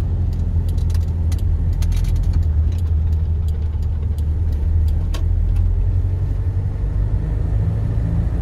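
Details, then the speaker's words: Toyota Hilux SR5 2.8/3.0 (1992–2004) cab after refastening loose instrument panel parts; only steady low engine and road rumble, no buzz or vibration from the dash; the panel rattle is fixed. "Desculpa era o som do silêncio escuta o som do silêncio que ficou esse painel agora"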